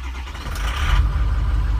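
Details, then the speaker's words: 2006 Ford King Ranch diesel, 102,000 miles, with a hot no-start complaint. On a cold start it catches after a short crank and settles into a steady, even low rumble with no misses or knocks; starts smooth. "of bounced around a little bit it starts pretty smooth"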